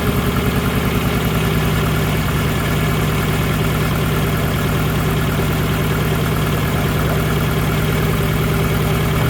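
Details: Nissan Pulsar GTiR after water pump replacement, with air likely in the cooling system, deep lumpy idle pulsing about three times a second; engine idles rough, cause unknown.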